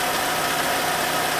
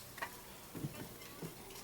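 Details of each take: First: 2011 Citroën C4 1.6 16V hatch, after replacing the clutch kit and an SKF bearing to cure clutch noise and pedal judder: steady, even idle hum with no knocks, rattles or clutch chatter; normal idle. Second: 2011 Citroën C4 1.6 16V hatch, 68,000 km, before repair: quiet clicks, then the engine catches and settles into a rough idle with a low rumble; noisy clutch and pedal judder, diagnosed as needing a clutch kit.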